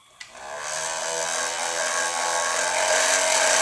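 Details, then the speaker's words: Fisher-Price Cradle'n'Swing motor running at full speed with its optical speed-sensor wires removed: a loud, high, steady whine that rises and holds level; this is the crying noise behind the occasional startup grinding complaint. "my friends is what you're hearing when it cries like that"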